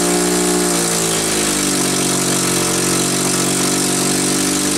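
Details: Cat D4C dozer's small petrol motor after a cold start, having sat a year, runs at a steady, even idle with a busy mechanical rattle on top; it has caught and keeps running.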